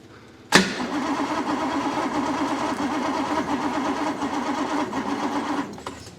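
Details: 1962 Rover P4 on a cold, wet day, with good spark at the points and a smell of fuel: steady rhythmic cranking for about five seconds that never fires. A crank-no-start traced to a blocked air intake.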